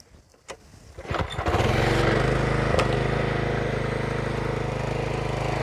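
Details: Troy-Bilt pressure washer with Briggs & Stratton Quantum engine after a no-start service (oil change, carburetor service, air filter, new O-rings): a couple of pulls, then it catches and runs steadily with no misses; normal start and run.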